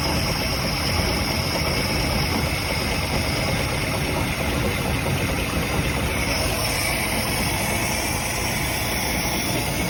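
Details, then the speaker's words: 1967 Chris Craft Roamer yacht with a Ford 427 V8 that was previously locked up, idle after sitting 11 years, run on more fuel: steady even rumble with no misses; it idles fine. "We got both motors running. The one that was locked up seemed to actually run better than the one that wasn't."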